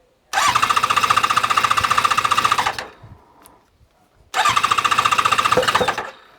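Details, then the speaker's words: ZZR600 under restoration, first start on choke after exhaust work: harsh, very loud, rapid popping bark, shut off after a couple of seconds. The silencer is open with no baffle; owner plans to fit a cap in the exhaust to quieten it. "Turn it off cuz that is proper noisy. So I'm going to put the uh the little cap in to make that a bit quieter."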